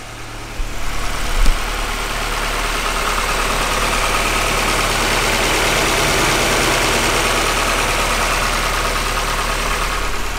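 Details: 1999 Honda Civic EK SiR after replacing aircon, alternator and power steering belts: catches and settles into a smooth, even idle with a steady hum, no knocks, squeals or belt chirp; running healthy.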